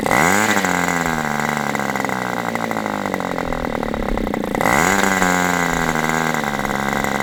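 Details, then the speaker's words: Aviastar 46 ABC glow engine, testing two carbs on a chilly 61°F day: a buzzing idle wanders and sags rather than holding steady. Owner suspects it is a hair rich and plans to lean it for a more stable idle. Top end is nice. "Okay. So, that leads me to believe it might be just a hair rich. So, let's lean this out just a little bit and see if I can at least get a a more stable idle."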